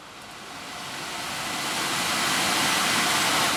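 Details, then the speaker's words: 2010 Audi Q5 blower motor that had stopped working, after cleaning and bearing work to cure squeak, reinstalled and run in car: smooth steady air rush, no squeak down to lowest speed; blower runs clean. "okay all the way down to really really low I don't hear any squeaking"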